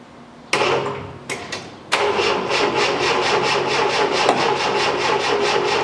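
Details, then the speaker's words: 1973 Triumph TR6, first start in two years after restoration: three cranking bursts before catching, then lumpy idle pulsing about four times a second with audible valve clicking; owner suspects weak starter, cause unclear. "okay so looks like web combinational issues here with the engine and obviously it's possible because this engine hasn't been dusted so I'm thinking first of all would have a week starter"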